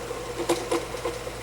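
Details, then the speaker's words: Vintage 12" Windmere oscillating fan running: steady low motor hum with soft irregular rattles and clicks; the head doesn't stay straight and blades may need tightening; dry motor bearings needing oil. "with the exception of the fact that it does not really stay straight and that it definitely needs some oil"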